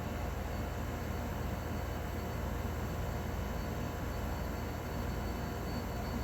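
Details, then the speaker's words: 2001 Trane XE1000 5-ton heat pump outdoor unit at night in 2011: steady low whooshing rush with a faint high hiss; warm air and steam coming off during its second defrost cycle of the night; normal defrost. "You can feel the uh you can feel warmth coming out of it. Got steams. Steams. Two defrost cycles in one night. That's not bad."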